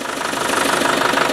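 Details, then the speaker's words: Land Rover Defender diesel brake vacuum pump test with hose pulled: strong suction hiss over quick even idle, servo pulling in; vacuum pump working normally, not faulty as suspected. "that's pulling a good vacuum and you may be able to observe here the servo is actually pulling itself in with uh air pressure so that works working fine there's no problem with that"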